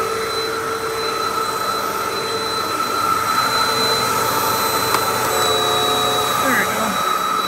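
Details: Hoover WindTunnel vacuum after a new drive belt fixed a slow, slipping roller brush: even, high motor whine with a smooth, steady pitch and no slipping or faltering. Roller brush now runs normally.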